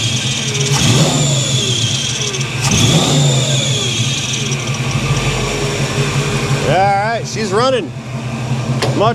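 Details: 1983 Chevy C10 350 small-block V8 after Holley 4-barrel carburetor swap to fix backfiring, idle turned down: picks up cleanly and settles back with no stumble or popping through each blip; carburetor running right.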